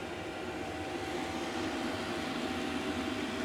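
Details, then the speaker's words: Diesel heater that kept blowing white smoke, choking and not starting, now running after being stripped down and repaired: steady even fan whoosh with soft burner roar, no surging or sputter; normal running. "And as you can now see and hear, it's working."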